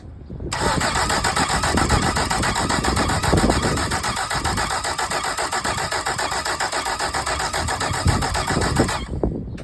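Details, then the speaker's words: Mercury 75hp four-stroke outboard after reassembly, plug leads off: steady fast starter churning with rhythmic compression pulses for about eight seconds, no firing; cranks but won't start. "Let's see if she fires. That'll be a no then."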